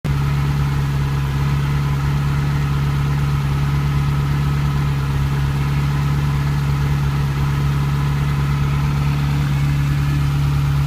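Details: Ferrari 308 QV V8 after crumbled camshaft pulleys were replaced with aluminium ones and cams dialed: smooth, even burble at idle with no ticking; owner thinks the belt was set wrong after a service.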